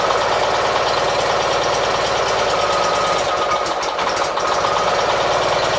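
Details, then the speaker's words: 1976 Gravely 816 small single engine, restarted after reassembly, possibly flooded; uneven idle that pops, bogs and recovers, only slightly better than the night before; rough idle, cause not confirmed. "so it's not idling dck a whole lot better than what it was last night so uh you see it pops and bags and recovers"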